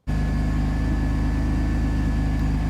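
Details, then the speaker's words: Vauxhall Vectra GSi project at idle: steady high whine riding over a smooth idle, not changing pitch, from the power steering pump, starved after the power steering leaked; owner plans to top up fluid to cure the noise. "Yeah, that's my power steering pump, because my power steering has leaked, like I've said earlier."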